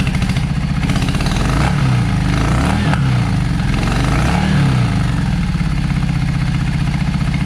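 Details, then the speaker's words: Yamaha V Star 650, front cylinder not idling while the rear runs, front cylinder staying cold; owner suspects a clogged front carburetor idle jet: lumpy, uneven idle rising and falling with irregular beat; cylinder misfire at idle. "Uh let's see. Let's go ahead and crank it that way y'all hear what I'm talking about."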